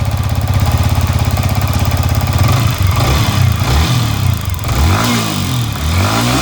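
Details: Yamaha MT-15 (FZ version 4 type) just started after fitting an ignition (ST) coil to cure stalling and no-start: even steady idle then smooth rising and falling revs, no misses; normal running.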